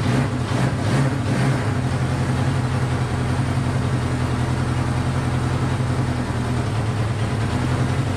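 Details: Honda CB500 four-cylinder; low idle burble, lumpy and stumbling at first then settling, firing on all four but hard to idle and smoking; owner suspects low compression.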